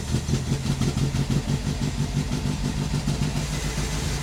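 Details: Ford Escort Mk1 Mexico after fuel pump replacement, test start with fuel poured in and choke on: lumpy, fairly fast idle with steady pulses; running fine with the new pump.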